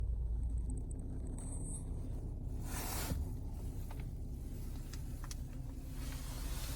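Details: 2017 BMW 340ix F30 stopped, fuel tank low: steady low cabin rumble, no rhythmic helicopter thumping from the back seat area after the dealer applied SIB 12 20 19 (reprogrammed to latest I-level, post-programming calibrations); low-fuel thumping fixed.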